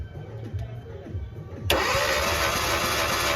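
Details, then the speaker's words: Hyundai i20 petrol engine, no compression, rusted timing chain: uneven, labouring starter cranking that never catches, then loud hiss; teardown found seized main bearings and a bent connecting rod; cranks but no start. "গাড়ির ইঞ্জিনের পরিস্থিতি খুবই খারাপ রয়েছে main বিগিং সব ধরে নিয়েছিল সিজ হয়ে গেছে কানেক্টিং রডও বেঁকে গেছে গাড়ির"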